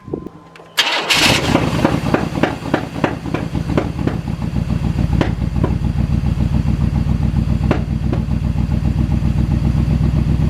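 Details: OBS K1500 V8 truck, first start after sitting 8 years, after replacing the entire fuel system (tank, pump, filter, spider injectors), primed, no leaks: cranks briefly, catches, settles into a lumpy, uneven idle with irregular pulses; idles on its own but runs rough.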